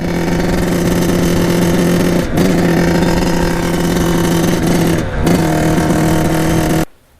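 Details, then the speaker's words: 1989 Kawasaki KX80 big-bore 110 two-stroke on test ride: drones steadily, then sags and stumbles twice when opened up instead of revving cleanly; bogging, as if choke were on. Owner suspects a carburetor fault, possibly pilot jet. "so just got back on the test run obviously we're having some problems I'm thinking it almost sounds like the choke is on when I'm riding it which is not good"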